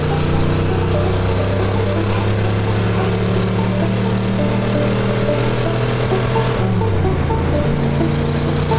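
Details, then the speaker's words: 1955 Ford that previously sputtered when wound up: deep steady engine drone pulls cleanly as revs climb in second gear, then a shift; no cutting out or stumble. "That sounds pretty good right there. I like that. I think maybe we can live with that."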